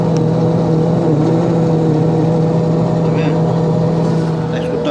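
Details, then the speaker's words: Electrolux 9 kg washing machine, bought 2012, five years old, noisy for about six months: steady low hum with a droning overtone holding one pitch while running; abnormal noise, cause unknown. "hoje eu com essa eletronics nove quilos ela tá fazendo esse barulho"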